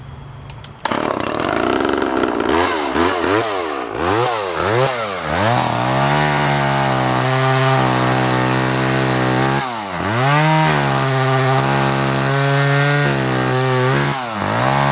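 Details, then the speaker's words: Vintage Homelite Super 2 automatic-oiling chainsaw, genuine Homelite bar, sharp chain: crisp two-stroke snarl revving up and down cleanly, holding high revs steadily while cutting and recovering quickly; runs strong. "It has a genuine Homelite bar and a very sharp chain. We're going to start it up and let you see how this one runs and cuts."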